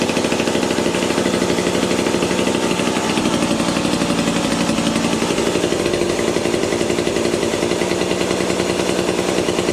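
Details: Vintage McCulloch chainsaw with new bar and chain, oilers not working: small two-stroke runs at steady rapid even rattle with no misses or surging; saw sounds healthy.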